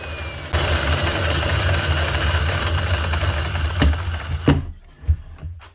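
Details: Cement-encrusted Bosch GRW 12 E mixing drill, heavily used, runs rough and gravelly for a few seconds from worn-out motor bearings; it also has a loose whisk.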